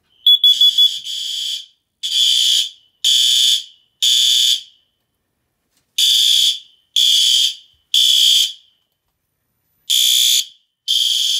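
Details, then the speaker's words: System Sensor CO detector, hardwired 24-volt, by the oil-fired and natural gas boiler in a home alarm system, on activation: shrill tone near 3 kHz in groups of four half-second beeps, five-second delay before strobes; carbon monoxide alarm pattern. "I forgot that I put a five second delay on the CO detector for when it activates the one strobes and that's so if I'm in that area I'll hear it beeping before it goes off so I know it's Co"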